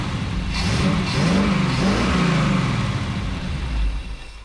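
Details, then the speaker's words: 1977 Chevrolet 4x4 small-block V8, long-sitting project just fired up, slight smoke from lube burning off: engine rises and falls smoothly through several blips, even exhaust note, no knocks or misses; healthy revving. "healthy oh motor sounds pretty good"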